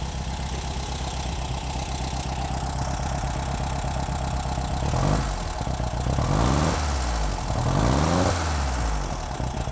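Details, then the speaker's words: 1971 VW with a newly installed reproduction 34PICT3 carburetor replacing a worn, leaking one, first start, checking for fuel leaks: steady, slightly lumpy idle about four beats a second, then a few clean blips; runs fine. "so we started her up let it run for a few moments make sure that we've got no fuel leaking"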